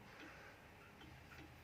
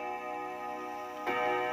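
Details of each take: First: 1936 Junghans W64 pendulum wall clock, original and never renovated, hanging crooked: uneven tick-tock with alternate beats unequally spaced; clock out of beat. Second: 1936 Junghans W64 five-rod chiming clock, probably never renovated, striking seven after the chime: clear ringing chime tones, then a gong strike lands cleanly at steady pitch; strike train normal.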